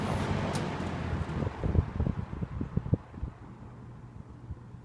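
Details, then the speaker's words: 1970s TG&Y Golden T (Champion) box fan switched off from high: low hum fades steadily with a few soft ticks as blades slow; normal, decent coast-down. "And it does have decent coast down time too."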